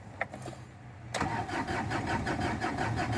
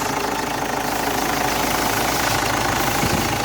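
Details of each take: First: 2007 Ford Ranger that won't start, dash lights normal at key-on: starter cranks steadily at about three turns a second but the engine never fires; scan shows code P0340, camshaft position sensor, to be replaced. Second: Ford Ranger, about 2007, previously a no-start with code P0340, now repaired and starting at once: steady, even idle with a light mechanical patter and no misses or stumbles; engine runs normally.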